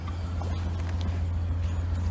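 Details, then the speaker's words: 1999 BMW 328i with Borla exhaust, recorded at the rear after fuel pump, battery and intake hose replacement and MAP sensor cleaning; deep even burble at a steady 800 to 900 rpm idle with no knocks or misses, a normal idle. "it sets and idles right at a perfect eight to nine hundred rpms where it's supposed to uh everything's good with that"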